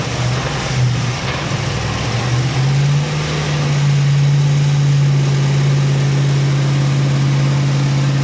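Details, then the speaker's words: GM LS3 430 HP 6.2 L crate V8 in 1962 Chevy II Nova, Terminator X Max untuned, on dyno, half-throttle pull: smooth V8 drone climbing evenly under load, no misfire; healthy, after bad crank sensor fix. "So that was just like a half pull there, just to kind of see where we're at, as far as making sure that the car is running really good. There's no misfire, anything crazy before we do the full pull."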